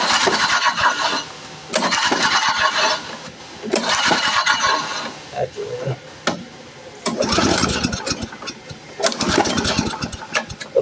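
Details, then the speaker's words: Troy-Bilt chipper/lawn vacuum small engine, acquired today in unknown condition: repeated rope pulls, each a short spinning burst, and it never fires at either throttle setting. No-start; carburetor cleaning and a spark check are planned. "so as you see it's not starting then turn it off"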